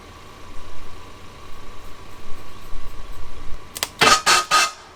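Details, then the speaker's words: Abandoned Ford Thunderbird pulled from near Amarillo: slow uneven cranking, then a few sharp pops on starting fluid that never catch into a run; owner suspects no fuel getting to the engine. "maybe we're not getting fuel all right so we're going to check a few things i think it's just not getting fuel at this point"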